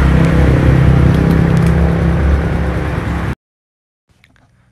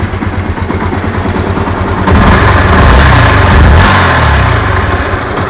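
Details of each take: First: Yamaha MX King 150cc after engine repair for rough noise, radiator refilled: even, steady idle with a smooth low hum, no knocks or rattles, before shutoff; now quiet and healthy. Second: Yamaha MX King 150cc single-cylinder running with coarse rattling clatter that grows on throttle blips; rough internal engine noise, suspected in the upper cylinder head area, not confirmed before teardown.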